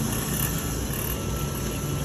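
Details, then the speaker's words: Steam heating vacuum pump in the boiler room of a 1960s 100+ unit building with two new boilers, one pump on auto and the other off: steady even low hum with a faint motor whine, no knocks or surges; normal operation. "Also, the vacuum system, however, most of you keep it on auto. I do keep auto of only one of them, which is only one of the pumps in auto. As you can hear, it's working."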